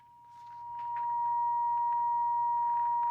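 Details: 1952 Coronado 8515a AM/FM tube table radio with weak reception, tubes previously replaced: steady mid-pitched test tone broken by scratchy crackle bursts; suspected silver mica fault, worsens when IF tubes wiggled, cause not confirmed.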